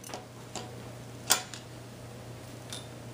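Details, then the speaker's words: Lenco L75 turntable motor after a new nose plunger screw, set back until the grinding stopped, about 2 mm spindle play, bearing and spring re-oiled; only a faint steady low hum with light ticks, running smooth and nearly silent. "anyway you can't even tell it's on so usually they say you know about two millimeters play and that's about right there"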